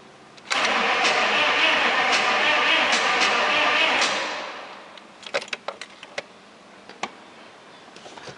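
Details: 6.5 turbo diesel Chevrolet Suburban with new battery: steady cranking about three beats a second for several seconds, never catching; cranks but won't start, fuel reaches pump but none released at loosened injection pipe.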